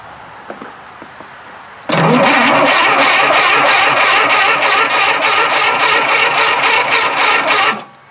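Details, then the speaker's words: Tera jet engine, after sanding magnet and checking rusty coils: steady fast cranking about three and a half pulses a second for six seconds, never catching; owner suspects no spark and a bad coil. "Huh, do I need a coil? It don't sound like I have any spark."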